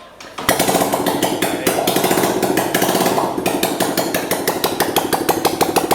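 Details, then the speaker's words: Small single-cylinder engine after top-end rebuild with new premium kit, run without exhaust fitted: sharp, even pops from open port at steady fast idle, no valve tick or smoke; running cleanly. "eu já deu para ver que tá funcionando direitinho nem fumar sou"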